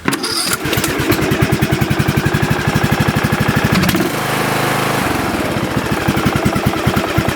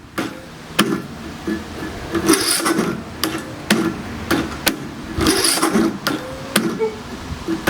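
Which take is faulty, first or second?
second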